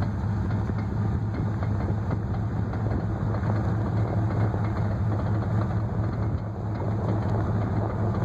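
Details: 1994 Chevy 10-bolt rear axle: steady low drone with irregular rattling clatter; binding or clunking, works fine at first, then when one wheel grabs traction the other stops and whines; cause unknown.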